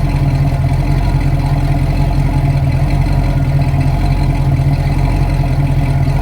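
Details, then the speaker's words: 1971 Ford Torino V8 after slight carburetor tweak (was a little lean): deep, even burble at steady idle, starts right up, no hunting or misses; running clean. "Well, I don't think it's going to run any better than that, guys. That's about as smooth as it's going to get. It starts right up."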